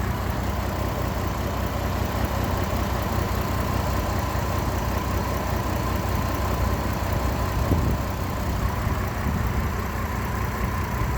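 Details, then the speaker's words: GMC Envoy with 251,000 miles, camshaft position sensor code, owner suspects misfire or bad cam sensor; irregular lumpy beat and shaking rumble at idle, rough running. "but the 251 thousand miles that are on this thing it is running like complete crap"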